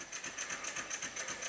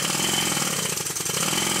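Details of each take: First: Rebuilt Stuart 10V steam engine on compressed air, after final adjustment and tightening of the main bearing bolts to the sole plate: soft, even chuff about six beats a second with no knocks or clatter; very quiet, healthy running. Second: Rebuilt Stuart 10V steam engine on compressed air, tight spot at bottom of stroke: rapid rattling machine-gun knock about three times a second; one crankshaft main bearing sits higher than the other, fixed by shimming.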